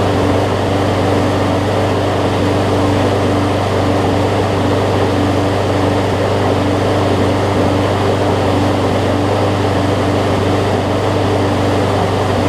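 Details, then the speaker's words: John Deere JA62 push mower, about 15 years old, Briggs OHV engine, after carb clean, unloaded at high throttle: steady single-cylinder drone, speed drifting very slightly; just the tiniest bit of hunting, otherwise running well. "it may just have just the tiniest bit of hunting which for any other push mower i would be like whatever"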